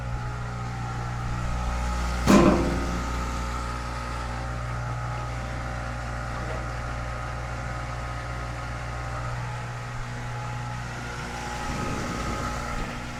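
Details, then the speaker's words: Kenmore-branded Whirlpool front-load washer that would not spin or drain, tested after clearing its extremely clogged drain pump filter under the bottom kick panel; a steady low pump hum with water moving and one brief early clank as it drains normally. "You hear that? It's draining."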